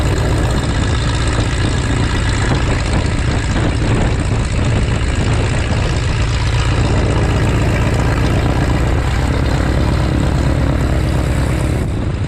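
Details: 1933 Great Lakes biplane, 165 hp Warner Super Scarab seven-cylinder radial, first run in 54 years after restoration: loud, deep, steady rumble with an even, lumpy radial beat, no misses or knocks; healthy idle.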